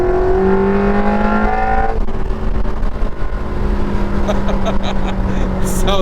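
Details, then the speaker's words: Ferrari 360 driven at full throttle, windows down, intake exiting driver-side port by the ear: loud intake howl rising through the revs, dropping at the shift and pulling again; normal strong clean running. "So, when you floor it, all that noise is right here at your ear."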